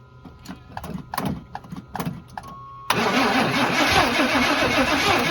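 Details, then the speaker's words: Abandoned barn-find square-body Chevy truck, first start attempt with starter fluid: rhythmic cranking chugs but it never fires. The owner suspects the distributor timing or advance is off; the distributor is stuck and won't turn. "I can't really get it to fire at all I'll use a little bit of starter fluid just to try and it won't fire and it sounds like the timing's off maybe the advanced timing"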